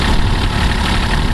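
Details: 1981 Kubota B6100 four-wheel-drive diesel tractor at 32 degrees after snow, hydraulics raising and lowering deck; short burst of deep even idle, steady throb, no misses or knocks, normal idle.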